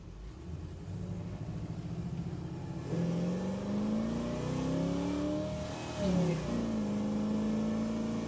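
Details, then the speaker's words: 1973 Chevy Nova badged SS, likely a 350 V8 daily driver, on a road test hunting a rear banging: note climbs smoothly under hard throttle with strong induction roar as secondaries open, dips at the shift; healthy, no clanks. "got a nice induction sound the secondaries are definitely opening but yeah know it's uh pretty much guarantee that's 350 yeah still not hearing any clanks"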